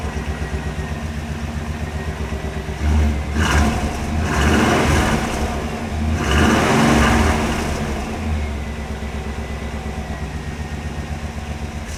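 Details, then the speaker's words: 1998 Chevrolet C/K 1500 (GMT400) truck after new exhaust system and O2 sensor installed: steady even idle rumble with two clean throttle blips rising and falling smoothly; deep healthy exhaust note, much better than before. "unbelievable how much better that sounds unbelievable sounds so much better"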